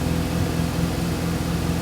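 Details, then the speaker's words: Mazda FD RX-7 rotary, just restarted after fuel system overhaul, warming up: low, choppy idle with uneven pulse, a little boggy; owner suspects ECU needs to relearn or an unreplaced spark plug; earlier would not rev past 3,000–4,000 rpm. "Kind of a little boggy right now. It might just be the ECU needing to relearn, or I still have to do the spark plug, so it could be that as well."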